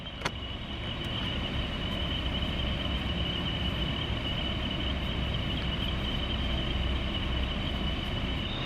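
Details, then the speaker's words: 2023 Toyota Tundra SR 4x4, since about 1500 km: a thin steady whistle over the soft rush of blower air from the rear vents, loudest at the right side, worst with heat above 20 degrees on medium to high; dealer has a fix scheduled. "So it's got that annoying little rushing wind whistling sound. And it kind of gets annoying when you're driving, especially, you know, you're driving a new truck, you don't want to hear that."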